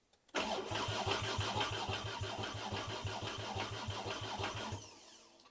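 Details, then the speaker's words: VW Mk2 GTI with a swapped 5-cylinder engine, first start attempt after the harness and ECU were reinstalled: steady rhythmic knocking about three beats a second through a long crank that never catches, possibly from the flywheel; no fuel was getting through. "I just hope that it doesn't leak oil all over the place again see that doesn't sound good it's like knocking really"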